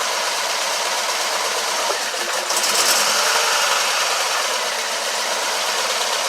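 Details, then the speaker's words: 2012 Mini Cooper Countryman with P0304/P0300 codes, after bottom-end rebuild for damaged cylinder 4 piston: rough loping idle stumbling about three times a second from misfire; cause found to be disconnected cylinder 1 fuel injector, later reconnected. "found out that i had an injector that was disconnected luckily it was number one"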